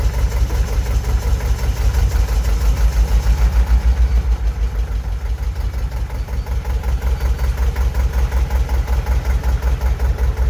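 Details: Single-cylinder JP2 diesel boat engine, cold start in December after three months unused: steady, slow, even thump at idle with the starting-mechanism ratchet audible; plume of smoke at start, idles nicer when cold.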